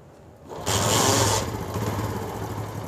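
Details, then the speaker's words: Honda CD70 motorcycle during carburetor adjustment, before raising idle: engine catches with a brief rev, then drops to a slow, low putter; idle speed set too low. "ये दोस्तों slow RPM पे motor bike है, अब हमने इसकी RPM को बढ़ा देना है।"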